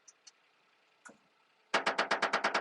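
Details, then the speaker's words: Daihatsu hydraulic dump truck: quick even train of dry creaks, about nine a second, as the dump bed swings; the pivot points just need oil. "so you can hear that creaking all it needs is oil at that pivot point there and that Pivot Point right there"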